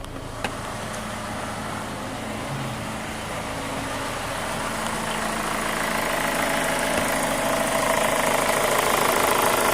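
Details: 2005 Chevy Cobalt LS 2.2L with a P0304 cylinder 4 misfire code, idling: a steady, fast tick of about four a second over an even idle; the owner says it sounds like a lifter and the engine never did this when bought; unconfirmed.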